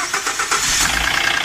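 Engine catches, then a fast metallic clatter rides over the idle right after start-up, typical of a slack timing chain slapping before the tensioner pumps up.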